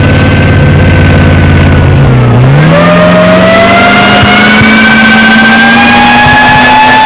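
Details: Alvis Saracen FV603 APC, driven on a farm around 1995/96: the heavy engine revs up with an uneven, stumbling beat under the rising pitch, indicating a misfire.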